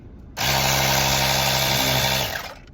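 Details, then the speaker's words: Tyre inflator pump built into a 2-in-1 portable car jump starter/power bank, run after unboxing: loud, steady electric motor buzz with high hum running evenly about two seconds then winding down; pump sounds strong and healthy. "So just tekan ni. Oh. Oh kuat geng. Kuat."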